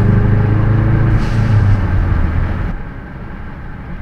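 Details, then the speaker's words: Ford Focus RS with a Turbosmart BOV replacing the stock diverter valve, under part throttle: steady turbo drone with a soft hiss of escaping air; the BOV vents boost, needing a boost reference adapter, and seems fine at full throttle. "I hope you guys can hear that yeah it's definitely venting when I'm not and I don't want it to I'm not trying to that is under you know part throttle"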